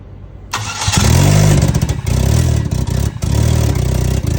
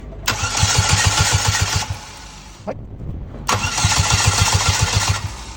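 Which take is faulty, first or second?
second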